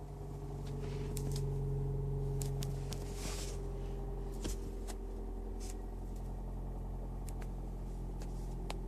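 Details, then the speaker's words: Toyota Prius engine at start-up, brake pedal pressed: deep rumble with droning hum and scattered light ticks; abnormal start-up noise that is intermittent, not heard on every start, late morning. "I cannot hear this noise every single time, but I just grab about this noise and I kept about this video."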